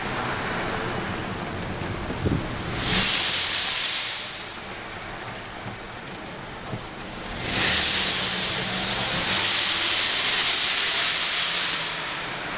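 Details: 1998 Mercedes E320 driving in sport mode, disintegrated passenger-side cat blocked exhaust, hole pierced in exhaust as temporary fix until replacement cat, check engine light flashing: loud airy hiss surging with throttle; exhaust leak from pierced hole.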